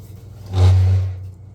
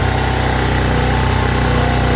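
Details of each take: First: Champion 4000 W (3500 W continuous) electric-start generator, ran fine last hunting season, won't start this spring: short starter whir under a second, engine never catches; has spark and compression. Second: Champion 4000 W (3500 continuous) generator after carburetor cleaning that fixed a no-start, fuel line still leaking and electric choke unhooked: steady, even beat at constant speed with no misses or surging, running normally.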